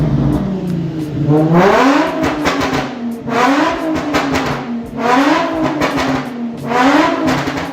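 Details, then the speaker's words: Drift car V6 (Project Seat Time Z), weeks after first start, with the two backwards-wired ignition coils corrected and all six cylinders firing: four clean rev sweeps rising and falling evenly with no miss or stumble. Normal revving. "it actually had two ignition coils wired backwards so it was running on four cylinders this is what it sounds like running on all [Music]"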